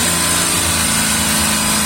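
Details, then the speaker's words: 2019 VW up! TSI, 50,000 km, new VW clutch kit two months ago, mic under the gearbox: at 3000 rpm with the pedal pressed, a harsh rattly whir like the fork chattering on the actuator, worse at higher rpm; cause unconfirmed. "beleza você entendeu daí em rotação alta 3000 giro ele faz o barulho como se tivesse tripidando o garfo sobre o atuador certo isso em mais Giro Alto ele tripida mais"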